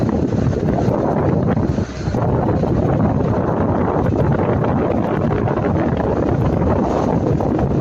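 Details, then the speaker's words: Lada Niva Travel driving on the same road as before, after fixing rattling front brake pads by refitting the pad retaining clips. Steady road and wind roar with no rattles or clunks; quiet brakes. "Итак шума то нету удивительный ведь человек оказался прав"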